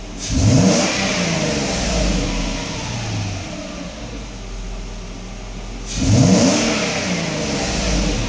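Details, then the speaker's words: Mercedes test car running with the mass airflow sensor swapped in (not fully tightened, slight leaks) before the throttle body is fitted; two clean blips, revs climb quickly and settle smoothly without hesitation, healthy revving and accelerating great. "alright so yeah I'm doing some gas marci no problems with this unit accelerates great"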